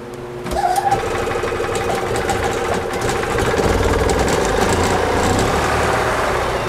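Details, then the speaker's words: Gas EZGO TXT golf cart (1996 or 1999), running with the choke hooked up: engine runs unevenly with rattly clanging and chatter over the idle. The starter generator belt is slipping quite a bit; the clutch is also suspected to be failing. "I gotta tighten up that starter generator belt first because I noticed that it is slipping quite a bit."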